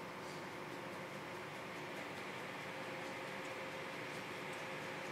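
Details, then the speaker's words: Sapphire graphics card fans (7950/7970/R9 line) that wouldn't start due to an internal fan controller fault, after adding a homemade PWM-to-DC adapter board: steady airy whoosh at full speed, no ticking or rattle; fans working. "can you heard the noise, they are at full"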